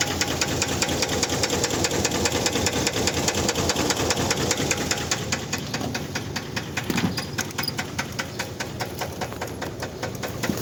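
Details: Idling engine with steady, sharp metallic knocking a couple of times a second; rod bearing wear caused by missed regular oil changes, producing rod bearing knock.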